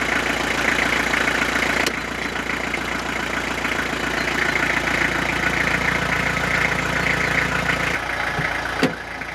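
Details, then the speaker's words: Renault Master started in damp cold, about 3°C, after three weeks to a month unused: steady, slightly fast idle with even hum and light ticking; idle a bit high, speed already dropping as it runs. "le masters évidemment le ralenti un peu haut mais là ça fait trois semaines un mois qu'elle n'a pas démarré le temps est super humide"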